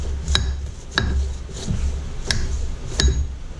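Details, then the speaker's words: Jacobs collet chuck with D1-3 mount on a lathe, holding a 5/8 drill rod: four sharp, uneven metallic knocks over a low spindle hum as it spins up; normal locking mechanism engaging. "hear that knocking that's desired"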